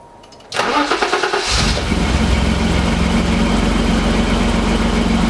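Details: BMW E28 with M30 inline-six, just after cold valve adjustment and new Bosch WR9LS spark plugs: brief crank, quick catch, then steady even idle with no ticking or stumble; valvetrain quiet and healthy, normal idle.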